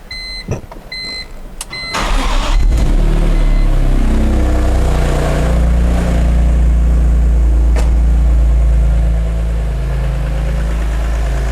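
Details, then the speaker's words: Wrecked 2006 BMW E46 M3 S54 engine starting then idling with a loud steady whine, groaning and ticking mixed, mic held close; VANOS suspected, possibly a pulley or something internal, to get VANOS rebuild. "i hear it don't hear that whining and that loud it's so loud oh man"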